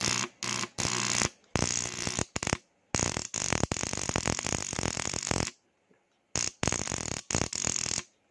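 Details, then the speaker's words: Motorcycle starter relay wiring demo: rapid buzzing clicks in short bursts with silent gaps each time start is pressed as the relay drops out; battery problem suspected, possibly a flat battery. "Pag naririnig nyo yan, example, nakakabit sa inyong motor, tapos ganito yung tunog. Yan, ibig sabihin, may problema sa battery. Possible, lobat yung battery."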